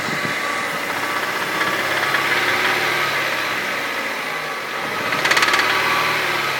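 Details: Hyundai 2.0 16-valve 143 hp engine at 136,000 km: a steady idle with a fast, somewhat uneven ticking of about three per second on top. Abnormal engine noise at idle, source unclear.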